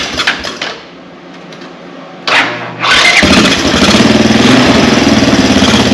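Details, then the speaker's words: Honda TRX 200 ATV, about 40 years old, reportedly ran low on oil and parked; idle screw turned down two turns: engine catches after a short crank and runs fast with no throttle, holding a high idle. "I hadn't even given any gas [Music]"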